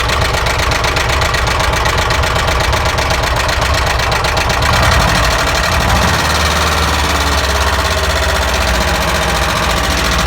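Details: ZAZ engine, recorded with the plug caps removed. A steady rapid ticking knock, about four per second, rides over a rough idle; a knock in the engine, source not yet isolated.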